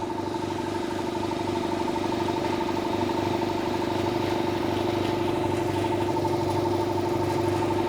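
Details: 200 L 3 hp single-phase belt-driven air compressor after service with the cage refitted. It is noticeably quieter, with an even, steady pump chug and mid hum and no belt slap or squeal: normal running.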